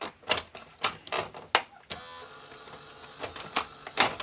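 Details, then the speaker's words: Sony SLV-676UC VHS VCR on power-up with a tape inserted, giving no picture or sound: repeated sharp clicks and brief whirs about every half second as the transport cycles without loading the tape; owner suspects it isn't detecting the tape. "And I think we have a problem with it not seeing the tape, the movie in it."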